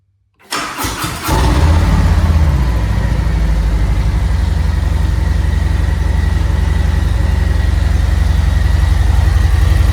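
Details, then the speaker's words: Harley Road Glide V-twin just after oil change with 4 quarts, oil at operating level: brief crank to fill oil filter, catches cleanly, settles into steady loping idle; runs normally. "Now let's crank it up. And you really only have to crank it for like 5 seconds just to fill up that oil filter."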